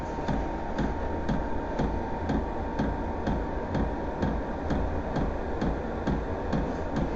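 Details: VEVOR heater, fan blowing harder: light regular pump ticks just over two per second above a steady fan rush, normal priming that the owner hopes will fade.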